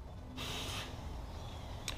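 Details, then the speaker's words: Ducati exhaust valve actuated manually through a diagnostic scanner's active test: a half-second whirring buzz as the valve motor sweeps, then a small click as it seats; exhaust valve working normally. "We want to manually operate or actuate the exhaust valve. We can do that, and you can hear the exhaust valve operating."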